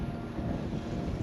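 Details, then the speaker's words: Newport NK180 transom-mount electric motor on a 2019 Hobie Outback kayak, run from two 12.8V lithium batteries in series (25.6V), drawing 31 watts: a steady even low hum with a faint whine and no knocks. Running normally. "if I turn it on, if I bring the motor forward, you can hear the motor running."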